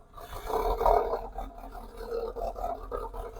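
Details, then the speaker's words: TF with head gasket failure suspected (coolant loss, mayo on dipstick) and engine warning light, before fitting a new O2 sensor and fuel filter: idle surges and sags every second or so, fighting to run, and stalls shortly after. "now she's going to start to struggle and I think she's probably going to stall she going to s she's she's fighting it she's fighting it"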